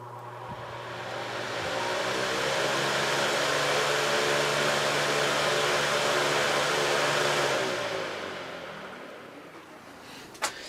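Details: Patton U2-0018 18-inch high-velocity fan, oiled, blade pitch increased, going to high speed: airy rush holds steady then coasts down smoothly; slight shake on high from misaligned blades, power draw within spec; normal run.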